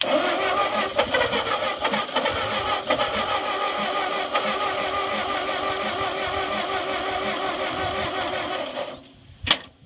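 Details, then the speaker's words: Ford 8N tractor that sat 4–5 years. After fixing reversed battery cables it cranks faster, with a starting squirt. Cranking is still slow and uneven, with occasional sharp pops of a cylinder catching but never running. The battery is weak and going down. "and cranking over much faster now so we'll give it another squirt turn key [Music] on oh it's [Music] firing"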